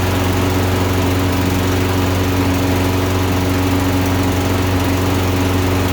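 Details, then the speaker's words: Toro Recycler mower, Briggs & Stratton engine, running rich since new; after NGK plug swap and high-altitude jet, before going one heat range hotter (RJ19 to RJ17LM): runs fine ~30 s, then uneven burble misfire, suspected plug fouling, worse when hotter. "so it runs good for about 30 seconds and then i think the plug gets fouled and it starts to misfire so let's just see"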